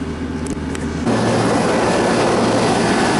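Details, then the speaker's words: York AC unit after replacing the 3/4 hp condenser fan motor: unit hums, then the fan kicks on around one second and keeps a smooth, steady airflow rush with no rubbing or rattle; new motor working well, condenser dirty. "Okay, the motor's working good."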